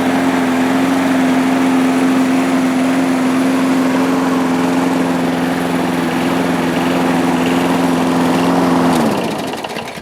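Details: 1998 Murray 3-in-1 mower, a trash find with its manual throttle control removed, started after priming: a steady, even buzz at constant speed for about nine seconds, then a clean shutdown. It runs healthy.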